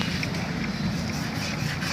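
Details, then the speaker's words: Royal Enfield Classic 350 BS6 single-cylinder engine idling with a light, regular tak-tak tapping over the thump, tappet noise before adjustment; cam/pinion gear setting and tappet adjustment follow. "देखिए दोस्तों कम pinion कैसे setting करते हैं दिखाता हूं देखिए कितना जो टकटक हो रहा"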